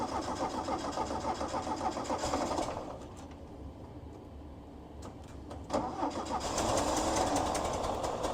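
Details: 1973 VW Squareback Type 3 air-cooled engine, first start after new points, plugs, wires, timing, valve adjustment, new injectors, starter, vacuum hoses, fuel lines and oil: catches, brief throttle dip, then even steady chatter; normal running after start-up.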